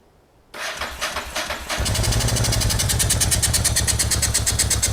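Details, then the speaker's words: Honda NTV650 V-twin motorcycle left 15 years, first start: starter whirs, then uneven lumpy beat with irregular pulses; rough running, owner suspects carburetor, possibly fuel pump. "I mean, I knew the carburetor was going to be a bag of cats, and I think that that's where the majority of the r"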